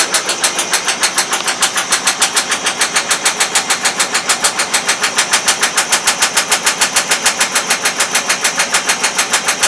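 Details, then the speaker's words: Brand-new GE Profile washer/dryer combo after a technician replaced the door seal gasket: a fast, hard, even thumping rattle about three beats per second during spin. The machine shakes violently, which is new since the repair. "I don't think a brand new washer should be going crazy like this and making a rattling noise"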